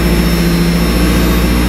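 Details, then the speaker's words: 1994 Mazda Miata started during winter storage: a steady low idle hum with an even, slightly lifted pitch holds firm under steering load. The power-steering idle boost is working normally. "Well, we know the idle boost is working."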